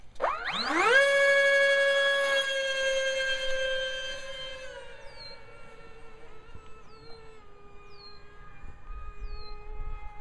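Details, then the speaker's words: 55 mm EDF A-10 RC jet on a 3S 1300 mAh 40C LiPo, twin fans run off a single ESC: high whine rising then holding with a wavering warble in flight; owner suspects the single ESC or interference, unconfirmed. "as you can hear it uh kind of makes a warbling noise I'm not sure if that's due to the ESC or what"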